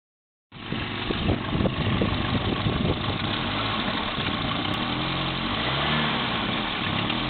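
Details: Volvo 945 Ti at steady idle with a quick, uneven puffing tick over the engine note, roughly three a second, from an exhaust leak.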